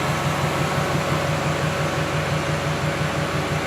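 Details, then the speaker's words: A 1999 Toyota Camry demolition derby build with radiator fans now hooked up: steady, even engine run under a constant fan rush with a soft regular pulse about three per second. It runs well and is no longer overheating. "but cars running great it turns on repeatedly every time it's not overheating anymore because that the fans hooked up"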